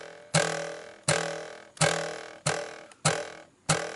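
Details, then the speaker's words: Shelby GT350 (S550 Mustang): six sharp taps each ring out with a metallic buzzing resonance from the loose audio amplifier or signal processor under the instrument cluster, mimicking a dash rattle. "you could hear the resonance so this is where the problems coming from and being that it's mounted to the metal right below the instrument cluster it actually simulates having a - rattle"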